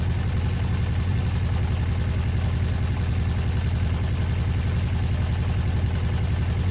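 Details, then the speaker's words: Honda CB400 Four restoration, started in freezing cold after tappets reset to 0.05 mm and carburettor work; steady even low idle around 160 beats a minute, no tapping; four-cylinder running sweetly, normal idle. "oh god, I'm just well happy now. That sounds flipping lovely. Well happy."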